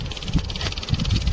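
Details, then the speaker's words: Bobcat diesel no-start, fuel pump not running until blown fuse replaced with a 15 A fuse: pump now gives a fast even buzzing whir over low rumble, getting current and running normally. "अभी काम कर रहा है आवाज आ रहा है देख पहले नहीं आ रहा था"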